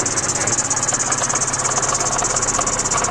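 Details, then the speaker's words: 1990 Dodge Omni just revived from farm storage, after a drive: light, uneven rattle about three times a second over a hissy idle; owner suspects the valve cover or plastic timing-belt shield, plus a squeaky belt. "I don't know what that is. Sounds like it's in the valve cover or that plastic shield over the timing belt."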